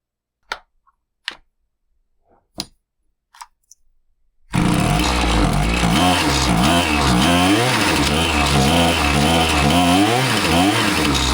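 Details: Husqvarna 525PT5S two-stroke pole saw after a carb refresh, with both mixture screws set a further quarter turn rich: it fires after a few pulls and revs unevenly, stumbling and bogging as the throttle opens. It runs fine on top but ignores low-speed adjustment; cause unconfirmed, possibly not the carb.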